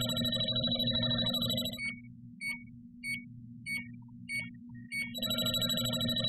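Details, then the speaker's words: JB Industries LD-5000 Prowler refrigerant leak detector run past the cap of a refrigerant can that was opened and closed: sharp high-pitched beeps about every 0.6 seconds as it alarms on leftover refrigerant until it wears off. "okay and that will alarm until the refrigerant wears off"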